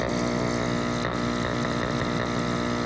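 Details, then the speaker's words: Active Aqua single air pump after fix (part held down with a zip tie) that had no airflow and was loud: at max setting, steady even buzzing hum, no rattle or stutter; running smoothly. "now it's on low you can barely hear it max"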